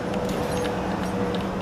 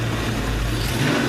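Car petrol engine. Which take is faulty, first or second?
first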